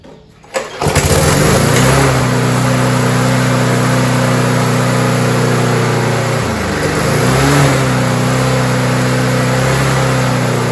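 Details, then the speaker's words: Roadside-found Rover 4-stroke mower after carburetor refit and top cover replaced, throttle cable still missing: pull-start catches within a second, steady even single-cylinder run with a brief dip; normal start and run. "so there you go folks and peas like we've addressed the actual running side of the engine"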